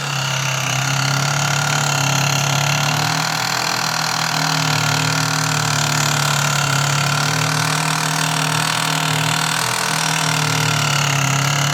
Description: Only a week old and started making these horrendous noises!